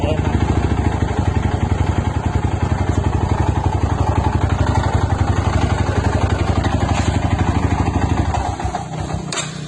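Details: Stock Yamaha Scorpio single-cylinder motorcycle idling: loud, fast uneven clatter over the low thump, about four beats a second; engine knocking, internal wear suspected.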